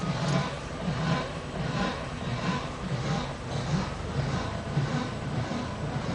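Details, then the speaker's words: Rubbing swish from the passenger-side front wheel, repeating steadily while creeping straight at about 2–5 mph in a parking lot. It is worse at slow speed and not worse when turning. "Okay, figure out this fucking noise, alright? It's from the passenger side front wheel."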